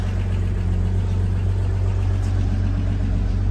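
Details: 1980 Toyota RN30 Hilux 4x4 fitted with a Holden 186 six, starting after work. Deep, even low idle with a steady beat and no knocks or misses. Running smoothly and healthy.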